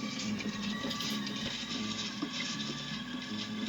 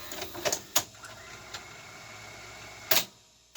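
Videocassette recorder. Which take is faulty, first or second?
first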